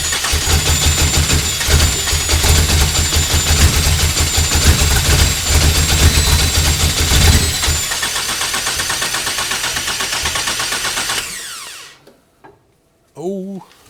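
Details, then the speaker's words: 2.7L 1AR-FE in an MR2 Spyder, 280-degree cams, first start on a new Haltech Elite 1500 ECU tune: lumpy uneven idle that fades and dies after adding 25% fuel; too much fuel, rough running then stall. "that's no no that was the wrong direction too much fuel whoops"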